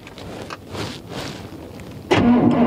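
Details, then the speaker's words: 1991 Chevy G20 van, V8, crank-no-start diagnosis while checking spark at distributor: quiet, then sluggish heavy cranking with no catch; battery very low, some spark seen; slow crank from weak battery. "there you go i saw some spark the car is just lowered but oh boy slow but now but i did see a spark the first prank i did see a spark it's a charge the battery is super low"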